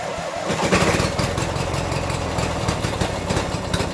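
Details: 1996 Briggs & Stratton 17hp I/C opposed twin, first run in over ten years, Seafoam added, smoking: ragged start settles into an even, steady idle with a regular low thump and no misses; normal idle.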